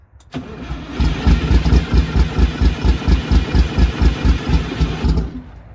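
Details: MCI MC8 diesel bus, sat about two years, first day above freezing, cranked from front controls, batteries suspected weak; smoking so fuel present: steady cranking about two pulses a second for four seconds, never fires; long crank, no start.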